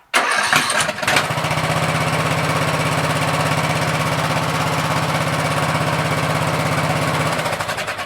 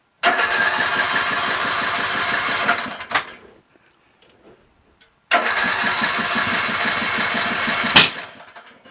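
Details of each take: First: Troy-Bilt 17.5HP 42" lawn tractor, restart test after trying gas in the carburetor: brief crank, then it catches immediately and holds a smooth, even idle with no stumble or hunting; normal start and idle. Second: Craftsman LT1000 lawn tractor, ready for sale after three carburetor changes and sitting two days: with choke on and fuel shutoff opened, two roughly three-second cranks give ragged chugging with no firing. Lack of gas suspected.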